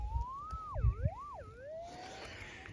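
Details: Minelab GPX 6000 metal detector in hard-packed clay and rock goldfield: smooth mid-pitch tone swoops up and down twice as the dug lump passes the coil, a clean target response.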